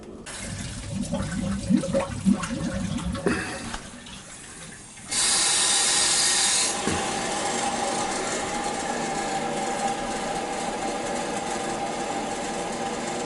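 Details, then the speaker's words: Purging air from a hydronic heating system after a 40-gallon Megastor hot water storage tank replacement, zone valves bypassed open: a loud, steady rush of pressurized water with gurgling as air is pushed out; normal purge flow. "Just want to make sure everything's purged good. It'll gurgle. It'll gurgle gurgle."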